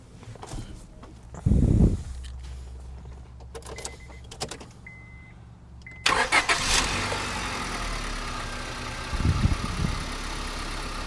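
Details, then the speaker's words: Fairly low-mileage Honda Civic, engine start and idle. A few clicks, then it catches at once and settles into a light, even, sewing-machine idle with no knock or miss: normal. A small fresh oil leak is seen. "Sounds good. Sounds like a little sewing machine. I know. It's solid."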